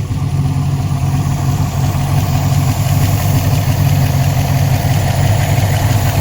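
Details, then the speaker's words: Chevrolet Colorado with a V8 swap, back on the road after oil problems, with a new PCV setup and an updated tune: deep, even V8 burble at a steady idle with no knocks, ticks or misses; normal smooth idle. "let me just kind of go around with it running and just let you guys hear that it's still sounding pretty"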